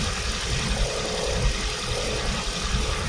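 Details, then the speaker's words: Toyota Prius 3 (ZVW30) after cleaning a clogged intake manifold and EGR and fitting new gaskets, done to fix a low-rpm motor rattle: even, steady low idle with no rattle or knock. Engine runs healthy. "yes everything is fine people yeah and hear the motor run nice around"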